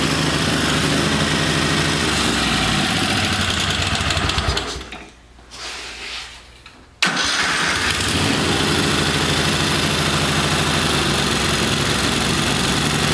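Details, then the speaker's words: Kohler Command V-twin mower engine, running rich and rough: starts, cuts briefly, then uneven lumpy beat, won't idle; bad camshaft compression release not flinging out, kicking valves open. "and i won't idle because it keeps kicking those valves open because that compression young release is bad"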